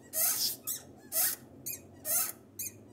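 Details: Toyota Etios clutch pedal pressed and released with sharp, high squeaks about once a second, from the dry ball pivot of the clutch fork under the dust boot.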